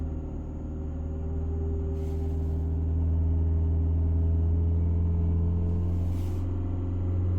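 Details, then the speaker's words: Fiat 500 Selespeed with throttle pedal held steady: engine drone swells and sags as the revs hunt on their own; owner suspects a faulty throttle pedal sending false signals or a small air leak, unconfirmed. "I'm not moving my foot at all. And you can see the needle revs going up and down."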